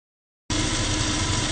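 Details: Lathe spinning a 5/8 brass hex bar 500 long that is slightly bent: loud steady hum with rough shaking undertone; vibration suspected from bar whip, not confirmed.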